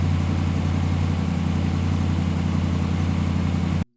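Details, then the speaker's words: 2017 Ram 1500 Rebel V8 on a cold-soaked start after the leaking exhaust manifolds were replaced with BD Diesel manifolds: a deep, even rumble with no exhaust tick or leak, and slight belt squeal when cold and rainy. "So, it's completely cold soaked. I'll start it up, and you can hear that it doesn't have an exhaust leak anymore."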